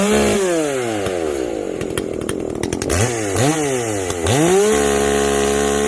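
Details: Echo CS-590 chainsaw after a carb mod with limiters removed, full-throttle cutting; rings cleanly and bounces off the rev limiter, no blubbering; before it garbled out near 10,500 rpm, now owner guesses 11,000–12,000 rpm.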